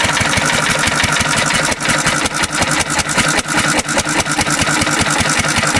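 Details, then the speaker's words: 1950s Cushman Cub one-cylinder four-stroke stationary engine on virtually pure 91% rubbing alcohol, mixture set about an eighth turn richer than for gas: busy rattle with uneven stumbling beats and skips; running rough. "that's an interesting sound the it's running a little bit richer than gas ever so like this like an eigh of a turn more"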